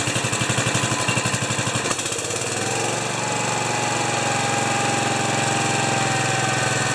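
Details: Kohler K241 10 HP single-cylinder after fitting a modern fuel pump, battery at 12.99 V: slow cranking chuffs catch at about two seconds, then steady even idle with no stumbling; normal start and idle.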